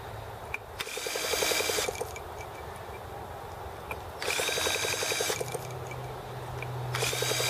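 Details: T26 model engine at 3°F (-13°C), after a valve job and rocker-arm and carb adjustments: short bursts of fast ticking, about four per second, with each whirring crank, but it never catches. Cold no-start; owner suspects carb freezing or flooding.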